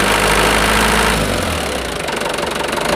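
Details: Mitsubishi Canter truck four-cylinder diesel idling with an even clatter, no misfire or stumble, after its six-hole injector nozzles were pressure-adjusted to standard; running normally.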